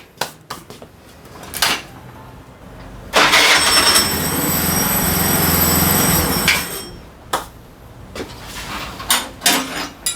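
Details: Daelim Couple 50 two-stroke scooter after replacing starter gear assembly with broken internal spring: starter clatter, then engine catches and runs evenly for a few seconds; starter engages cleanly, normal start and idle.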